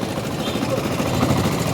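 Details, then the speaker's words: Yamaha Factor/Crosser 150 single idling after starter gear (arranque) replacement; loose fast metallic rattle from the clutch basket (campana), common on these bikes, quietening when the clutch lever is pulled. "viu a diferença aí do barulho barulhinho da Campana esse barulho que tá fazendo aí essas moto faz muito esse barulho na Campana quando a gente aperta embreagem e diminui o barulho"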